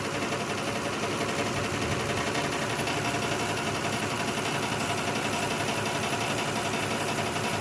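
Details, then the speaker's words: 2006 Lexus ES330 at idle with cylinder 5 dead from an injector stuck closed, after tapping on the injector: steady lopsided stumble repeating a few times a second under the engine hum; slight improvement but still missing. "There appears to be a slight improvement, but it's probably not enough because it still appears to be missing."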